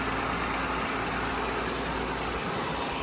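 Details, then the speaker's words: Audi petrol engine idling with a steady, even hum and no knocks, ticks or misses after parts work; runs fine. "Runs perfectly good. So, heck yeah. This car is not going to blow up."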